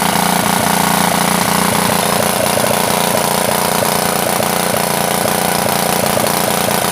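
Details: Honda GX160 water pump engine after overnight flood submersion, cleaned and restarted; loud raspy exhaust with uneven beat and harsh crackle at idle from a broken muffler, carburetor still needs adjustment.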